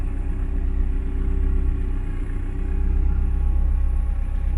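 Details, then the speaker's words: 1972 VW Beetle with rebuilt 1997 Subaru EJ25 DOHC flat-four, warm idle sitting low with a deep steady lazy rumble; owner suspects a vacuum leak, not yet confirmed. "the one thing is she idles a little low i think i might have a vacuum leak somewhere"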